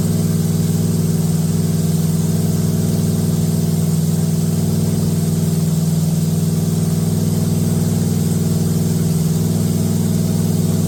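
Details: Date-coded 1969 383 HP Super Commando V8, newly installed in a 1969 Plymouth Road Runner from a Barracuda, run with good oil pressure: deep, even fast idle with a steady rumble and no clatter or ticking. Runs healthy; a dried-out rear main seal leaks.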